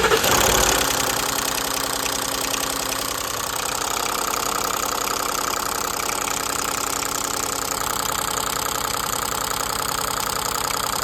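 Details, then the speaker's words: Ford F-150 V8 after earlier chain and camshaft work, idling: steady, rapid "traca traca" clattering knock because chain guides were installed reversed and the camshaft wasn't seating properly. "bueno estas piezas son las que estaban al revés y por eso se esa tronadera de su tracca tracca"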